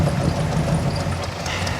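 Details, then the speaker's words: 1985 Chevy K10 with a carburetor, after Seafoam spray and fuel additive treatment. Previously it died without throttle; now a steady low rumble holds an even idle on its own without stumbling or dying: normal idle. "this is pretty awesome so seafoam highly recommend she's idling now highly recommend"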